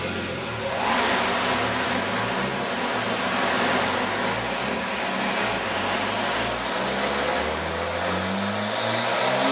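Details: Nissan R33: engine revving up and down with a rough, uneven note stuttering as it climbs; misfire caused by wrong NGK PFRG5-11 platinum plugs, fixed by fitting NGK Iridium IX BKR6EIX-11.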